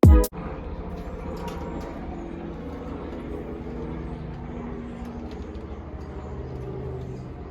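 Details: Newly rebuilt air-cooled VW 1600cc flat-four, first start: short burst as it catches, then a steady, even low idle holding without misses; sounds healthy.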